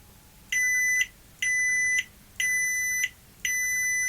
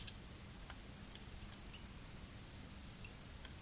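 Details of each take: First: Toshiba V5470B Betamax video recorder under repair: reed switch tested with a stronger magnet gives four clean high-pitched beeps about one per second, now responding normally after appearing to have failed. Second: Toshiba V5470B Betamax video recorder under repair: faint, slightly irregular light ticks, about two a second, over quiet room hiss while the reed switch is tested with a magnet; the mechanism is ticking, cause unclear.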